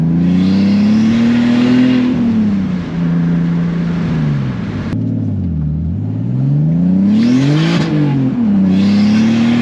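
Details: BMW E46 330i straight-six with a CXRacing turbo kit, 3-inch stainless exhaust with resonator and muffler, BeRacing injectors, MAF and tune: smooth drone rising and falling cleanly with throttle through pulls, turbo whoosh on top; healthy, strong engine.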